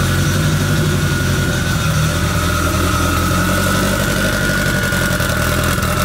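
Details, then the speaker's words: K20-swapped AWD Honda Integra with turbo kit, first start-up before dyno: loud, even engine note with clean exhaust rumble and no mechanical knocking; loud but sounds good, normal revving. "it's really not that loud it's loud but not that bad it sounds good"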